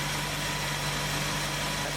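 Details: 1970 Ford Mustang Mach 1 after crank pulley work, timing about 12°; carburetor may still need work: a smooth, even idle with a steady low hum and no knocks or stumbles: normal idle.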